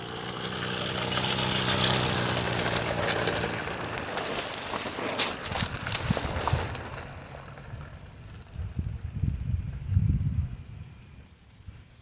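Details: Modified Mamod Brunel MK II steam engine after adding an exhaust adapter to fix the leak that blew out fire: quick, fairly even soft chuffs slowing and fading as it coasts down, no sputtering; running healthy.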